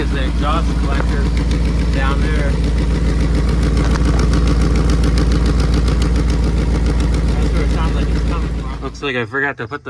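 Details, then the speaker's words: 2001 Dodge Ram 1500 5.2 Magnum V8 4x4 with custom exhaust, idling: steady idle with fast even tick three to four per second; exhaust leak suspected where the manifold pipe joins the downpipe. "all right guys just got the belt back on and I'm pretty sure from that exhaust uh manifold pipe where it connects to the downpipe there right there"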